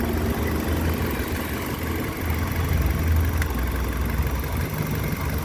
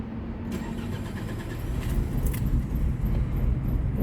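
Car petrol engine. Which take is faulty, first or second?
second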